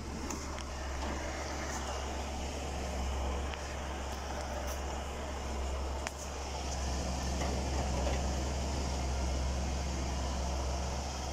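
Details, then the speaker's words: 2016 Ford Expedition, before oil change, full-lock left turn: quick uneven ticking about three or four a second over low hum, rear tire grabbing as if braked, worse with more speed, scanner shows no faults; rear limited-slip differential clutch chatter. "هذا الكفر الخلفي، أنا بمشي سيدة ما في شيء، بس ألف يسار بالكامل ألف، لاحظوا اسمع صوت الكفر يعق مع بعض وماسك كأنه واحد ماسك فرامل."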